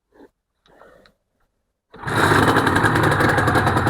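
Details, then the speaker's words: Honda NSR250R-SP MC18 250cc two-stroke with JHA pipes, after restoration, fuel topped up, choke on; quiet, then fires at once and settles into a quick, crisp, even two-stroke rattle; normal start. "Wow. That is incredible. Yes. Wow. Those pipes sound nice."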